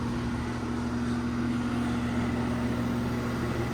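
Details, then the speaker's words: 2016 central air conditioner at spring startup: a steady rough hum with a wavering mid-pitched drone over the fan, no clean spin. Condenser fan motor is in very sorry shape and may be replaced. "Fan motor is still in very sorry shape, as you can hear. Might replace that, we'll see."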